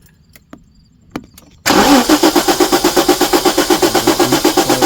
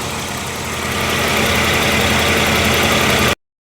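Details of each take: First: 1994 Jaguar XJ6 with a GM Vortec ignition control module fitted, I-core coil: starter churns about four turns a second for three seconds without firing; cranks but won't start, weak spark, installed coil later found bad. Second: 1994 Jaguar XJ6 idling steadily and evenly with no misses, knocks or surging after a crank no-start was fixed: failed ignitor replaced by a modified-harness Vortec GM module with heat sink, ignition coil also bad; module heat to be checked.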